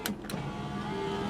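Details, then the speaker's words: 1996 Chrysler Sebring Convertible JXi, driver's power window: steady electric whir with no change in tone; the motor runs but the glass does not move, sounding disconnected. The other three windows work. Cause not confirmed. "Uh, sounds disconnected. Okay. So, at least three out of four work."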